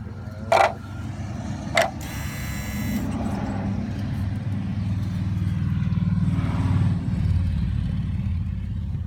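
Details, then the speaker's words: 2003 Volvo S60 2.5T AWD at steady low idle: a sharp buzz flares for about a second between clicks, felt vibrating a hose the owner thinks may be a coolant line. Under-hood buzzing noise, cause unknown. "I felt this hose vibrate when it made that sound. I wonder if it's like a coolant. Seems like a coolant line."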